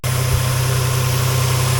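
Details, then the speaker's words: 2007 Dodge Nitro after idler pulley replacement: steady even petrol idle with a low hum, the belt squeak gone. "all right guys we got it no more squeaking noise let you look down in there smooth as [Music] butter"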